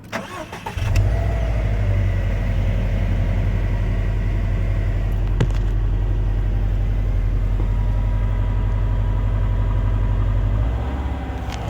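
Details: 2016 Subaru WRX STI at 776 miles: engine catches and settles into a steady, deep, even idle with a faint irregular ticking on top; owner unsure if normal, no clear fault, worth a dealer check.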